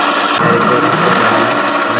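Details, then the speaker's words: Easy bike (electric rickshaw) hub motor: rough continuous whirring grind while riding, louder in person than recorded; motor opened to find the cause. "মোটরটা প্রচুর sound আসে।"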